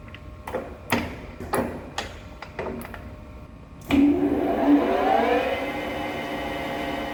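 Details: MetalMaster TM-26120G centre lathe after headstock service with new V-belts, brake adjustment and oil change: a few handling clunks, then the motor spins up with a rising hum into a steady, even whir, the earlier belt noise gone.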